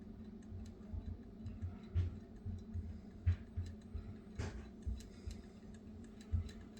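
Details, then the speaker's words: Homemade pulse motor with three 5-wire coils and a stiff 14-gauge reed switch driven by powerful magnets, turning slowly: slow, slightly uneven single clicks under one per second over faint room hum; each click means energy is flowing, normal. "I mean, you can hear it clicking, and you see how slow it's going, and the click means that the energy is flowing."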